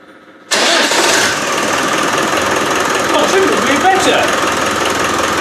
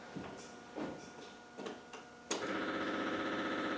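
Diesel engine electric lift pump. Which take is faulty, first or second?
second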